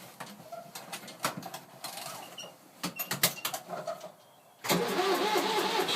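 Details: 2001 New Holland LS180 skid steer diesel, 630 hours, cold start at about 35°F after 3–4 days unused: a few seconds of quiet clicking, then it catches at once into a steady even idle. Healthy.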